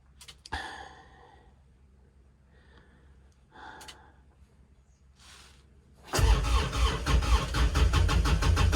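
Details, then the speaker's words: Kubota RTV900 diesel at -8°F: fast, even starter churning with loud chuffs; it turns over briskly and almost catches but never runs. Owner suspects frozen or gelled leftover summer fuel; battery strong. Cause unconfirmed. "trying to think if i've actually got mixed fuel in this puppy this may be a problem thankfully my battery's pretty awesome yeah i think we may be frozen this might be major suckage"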